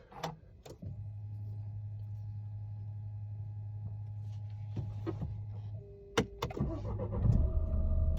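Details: Dacia Duster 4x4, 1.5 diesel 114hp: steady low hum drones for several seconds before the engine fires and runs, continuing after start; annoying noise located underneath the seat area, cause not confirmed.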